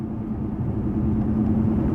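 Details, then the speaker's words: At about 55 mph: a low, steady droning roar, loudest between 45 and 50 mph, with no rhythmic knock; tire roar. "you guys hear that right there that wall it's the loudest between 45 and 50 miles an hour"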